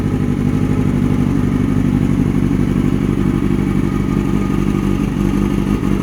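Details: Kawasaki ZX6R streetfighter build after fuel pump problem resolved, exhaust sound at start-up: steady even four-cylinder idle with throttle blips, no misfire or knock; sounds healthy.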